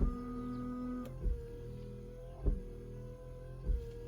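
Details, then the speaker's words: Rover 25 GTI (1.8L VVC) rear window washer pump, tested after fixing the non-working rear jets, with the rear plastic trim piece off, which makes it louder. Steady electric pump whir with a soft surge about every second, spraying normally. Normal washer pump operation. "That beautiful sound that it is making is solely because I haven't got the plastic bit on the back."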